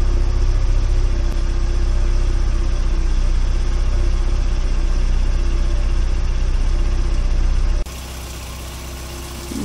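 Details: 1992 VW Corrado 16v 2.0-litre, about 27 years old: steady, even low idle with a smooth deep rumble, only a tiny rattle noted, no misfire or knock after start-up; a misfire reportedly appears at 80 degrees.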